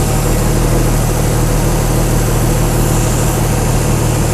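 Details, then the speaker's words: Chrysler 225 Slant 6 generator set, new Holley Sniper EFI and linear-actuator governor, first start: steady even low rumble idling around 700 rpm, no knocks or misses; normal idle. "I'm going to crank it and we'll see uh if we get our RPM signal there and see if it starts ready that was a pretty good startup huh"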